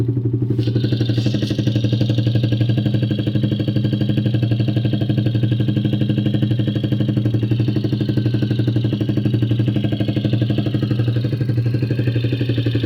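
Steady idle with a sharp, regular tick, about four per second in step with the engine; a ticking knock, cause unclear.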